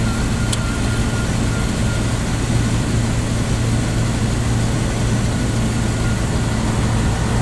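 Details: 1999 Bentley Continental R wide body with Zytek engine management, just started from cold: smooth, steady deep hum at a raised fast idle with no misses, knocks or rattles; a healthy cold-start idle.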